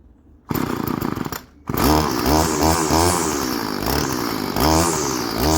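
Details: Old Stihl FS 36 string trimmer, sat 2+ years, after a new primer bulb and carb tuning: small two-stroke buzzes steadily at idle and picks up cleanly on throttle, no stumble or surging; runs good and restarts warm.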